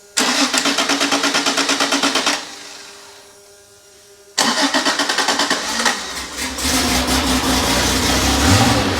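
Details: Freshly rebuilt Porsche 911 3.0SC air-cooled engine built to 3.2 specs, test run on a stand, completely cold after sitting overnight at 26°: even cranking pulses until it catches and settles into a smooth, steady idle; healthy start.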